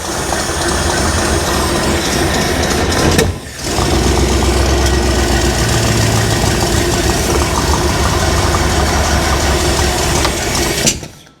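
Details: 1975 Bricklin SV-1 V8, low mileage, long stored, first runs after battery and ignition work, low on ATF: uneven idle with loose puffing beat and brief dip; rough idle, suspected exhaust leak, possibly needs more timing.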